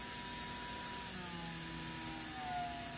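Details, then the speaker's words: Athearn Genesis MP15 model locomotive motor, voltage raised toward 12 V drawing about 0.06 A, before running in: thin whine sliding up in pitch and getting noticeably loud, an excessively noisy small motor. "and we turn it up to head starts getting loud as we approach to 12 volts drawn 0.06"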